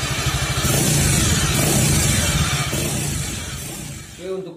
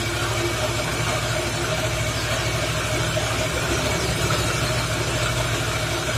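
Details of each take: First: Suzuki Nex FI scooter after CVT and gearbox repair for worn gears, fixing harsh noise and weak power. Engine and belt drive run smooth and even, revving then settling with no harsh rattle or grind from the gearbox. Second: Suzuki Nex FI scooter, weak on hills, engine running with rear wheel spinning: loud, coarse, gritty uneven rumble that mostly fades when the wheel is braked; owner suspects CVT or gearbox.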